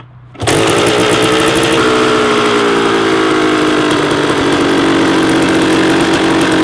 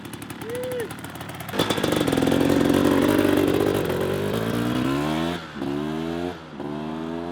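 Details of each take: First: Rebuilt 1994 Kawasaki KX250 two-stroke during first-start heat cycles: high, buzzing idle that barely drops after start-up; idle was set too high and was lowered. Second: Rebuilt 1994 Kawasaki KX250 two-stroke on its fourth heat cycle, warmed up with radiators near temperature: crisp, clean revs climbing and dropping smoothly with no rattle or misfire; lots of power, everything sounding good.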